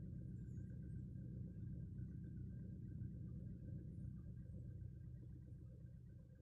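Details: Volkswagen Polo sedan, cold engine idling during warm-up: low, uneven rumble with an irregular shake about four times a second; engine misfire, with the EPS warning light coming on.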